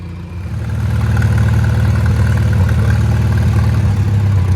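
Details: Old Farmall tractor after service, jump-started with an uncharged battery: steady, even low idle with smooth firing rhythm, no misses or knocks; running better than before, owner suspects worn spark plugs caused the earlier dying.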